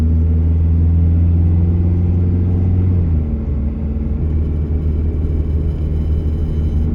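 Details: Truck on road test about two weeks after a newly installed timing chain developed a noise; defective part returned. Smooth deep rumble under way, easing off slightly, no rattle or tick from the engine front; quiet like it should be.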